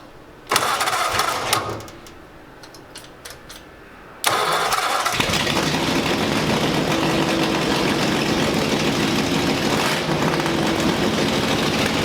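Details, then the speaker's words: Ford Free-T with full-race flathead V8 on Pounden-Gerde magneto, vintage carburetors fixed, hot-wired to battery bypassing ignition switch: brief crank, pause, then fires at once and holds strong steady idle; runs fine. "now we've pretty much got to the point where the thing will fire up pretty easy you know rev up I've let it warm up and everything and run it in and I'm pretty happy with it"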